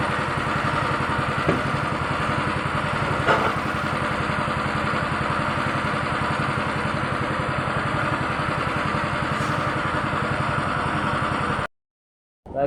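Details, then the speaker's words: Honda Beat injection scooter with a rough starter and stumbling on initial throttle: idling with a steady putter whose beats waver and stumble slightly; a mildly rough, unsteady idle, cause under diagnosis. "motor tidak itu normal ya hidupnya ini agak merebet"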